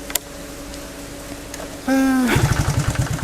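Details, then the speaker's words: Restored 1981 Honda C700 Supercub starting on one kick: brief rising whirr, then the small single settles into a quick, slightly uneven putter, with a light rattling from the cam chain tensioner typical of C70/C700/C800; healthy start and idle. "Oke sekali selah doang ternyata bisa nyalaat bisa dengerin suaranya kalau kalau mau Lebih detail lagi itu ada kayak suara kelitik-kelitik gitu ada di Tensioner ketengnya itu khas banget di Honda C70 c700 dan c800 ya"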